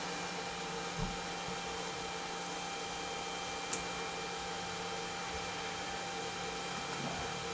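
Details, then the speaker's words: DJ fog machine on test: only the fan on the far side of the heating element hums with an odd tick, and no pump buzz kicks in; owner suspects the pump isn't working; pump not starting. "I don't hear the pump kick on so I'm kind of thinking maybe this might just be this might not be working at all"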